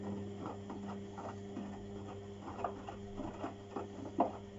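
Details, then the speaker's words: Beko washing machine on the refresh cycle: steady motor hum with soft, irregular thuds of laundry as the drum tumbles too slowly and stops; a squeak is also heard and the owner fears the belt; cause unconfirmed. "tumbling so slowly? Oh, now you've stopped. No, really. Come on, Beko, you can do better than this. This is still not normal."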